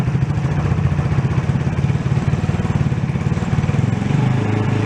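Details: ATV that sat for a while, after draining old fuel, fresh gas and carb cleaning: single-cylinder thump at an even, quick beat, holding steady with no misses; running cleanly.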